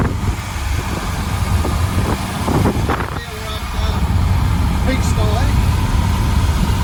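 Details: Ford 351 V8 (Falcon) with an uneven, lumpy idle and revs and an occasional stumble: a misfire, and new spark plugs are needed.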